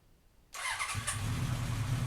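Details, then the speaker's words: 1980 Honda CB900 four-cylinder motorcycle started with a little choke right after a new petcock was installed, in a closed garage at night; starter catches and it settles into a steady, even low idle, no fuel leaks seen: normal start and idle. "yeah, there's fuel down there. I don't get tired of that sound. Nice."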